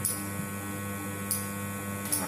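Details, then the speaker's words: Wahl Super Taper clipper during servicing, after turning the right-side adjuster until noisy then loosening it: steady, even buzz with a few light taps, no rattle; motor running smooth with strong power. "Ini sekarang mesinnya udah halus dan kita kendorin dikit lagi."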